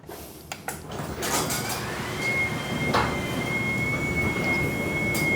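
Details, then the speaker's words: Garage door after installing commercial green hinges with springs and wheel sleeves: smooth low rumble with faint motor whine, no squeaks or rattles; much quieter than before. "absolutely unbelievable on the sound so much better so much better"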